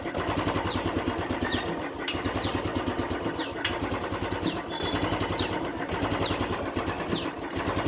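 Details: Royal Enfield Classic 350 EFI single-cylinder at idle: uneven thumps, beats bunching and dropping out, rpm hunting and slow; misfire with suspected ignition problem, cause not confirmed.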